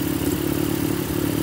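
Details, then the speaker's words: Toyota 4K engine with a misfire, running fast at a very high idle that the owner reported, with an uneven pulsing beat, occasional dropped strokes and a clattery note; it also stalls. The exhaust sound itself is normal for this engine. "palyado lang yung andar niya, pero yung tunog sa tambutso ay ganyan talaga yan."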